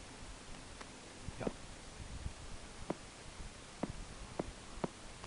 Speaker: that's the IM motor clicking there's no capacitor on the IM motor whatsoever on the head there is but it still makes the noise